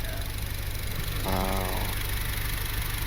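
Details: Honda Civic R18 with eBay turbo kit and blow-off valve, idling: steady low idle with even pulse; a short hiss and whistle midway, then settles back to smooth, healthy idle.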